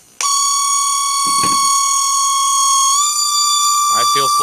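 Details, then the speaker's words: Mercedes 600SL V12 early 1992-93 throttle body motor, voltage varied on the bench: steady high-pitched whine stepping in pitch with speed, with vibration; noise fades at lower speed, worn bushings, motor running hot. "I'm changing the voltage so you hear the pitch changes that was the high pitch noise"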